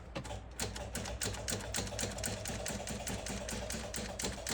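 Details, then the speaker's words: Early-1990s Oldsmobile Silhouette minivan, 172,000 miles, sitting about a decade; fast chattering clicks about four a second with no cranking, tach acting oddly; low battery voltage or wiring suspected, not confirmed; rapid clicking, no start. "Weird what that does when you try to crank on it. That's very bizarre. They might have some wiring issues going on, because look at the tach. Could be low voltage also."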